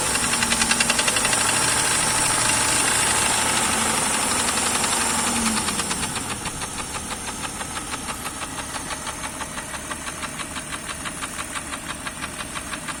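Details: Jeep Grand Cherokee Laredo 4.0 AMC 242 inline-six, fully warmed idle in winter: steady hollow knock about three or four a second tracking the engine; cracked piston skirts slapping the bores, also hard cold starting needing 5+ seconds cranking. Piston slap knock.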